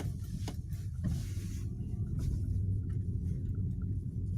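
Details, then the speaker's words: Ravon R3 on rough road after the door cards were lubricated with silicone. Low road rumble and bump thuds are heard, but the earlier plastic creak from the door cards, first thought to be the door locks, is gone. "Ну, а сейчас ничего не скрипит."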